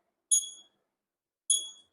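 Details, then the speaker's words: Scotts reel mower, reel reset after bed knife adjustment via half-inch nuts: reel turning gives two clean high metallic pings about a second apart, blades lightly contacting the bed knife. "So, now that I put this up, it's hitting"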